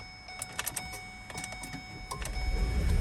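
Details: 2009 Ford Escape Hybrid, 40,000 miles, high-voltage battery already replaced once and dead again, charged to 320 V (settled at 309 V): relay clicks, then the engine catches and rumbles; the pack dropped to 260 V on starting and needs charging.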